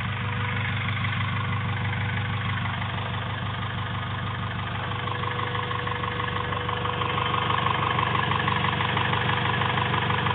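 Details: Honda B16A2 turbo build (CP pistons 9:1, Eagle rods, Supertech valves, valvetrain and retainers) at idle: a low rhythmic knock about twice per second over a faint constant tone. Cause unclear. Abnormal engine noise at idle.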